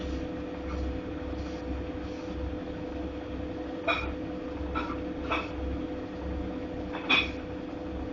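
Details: Godrej fully automatic washing machine running: a steady motor hum broken by uneven squeaky knocks every few seconds. This is an abnormal running noise with no cause identified.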